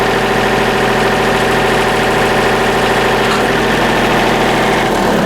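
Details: Hydraulic lift raised and lowered after removing a wedged stone that had crushed and ripped a part and made an earlier bad noise; now a steady, even pump hum with no knocking, surging or grinding, normal operation.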